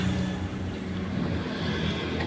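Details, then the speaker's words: Car exhaust after welding repair of corroded muffler, hand leak test finds no leaks: steady, even idle, smooth low exhaust note, no puffing or hissing; normal exhaust at idle. "Oke ternyata hasilnya alhamdulillah bagus tidak gocor semaksimal"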